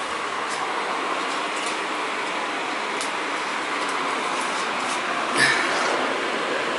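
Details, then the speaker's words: Gas boiler after vent/flue damper replacement and burner cleaning: on call for heat the damper opens and the burner fires with a steady, even rushing roar, no popping, rumble or flutter; normal burner firing. "all right what will happen is this thing will open on'll call for heat then the burner should fire this will open and the burner should fire"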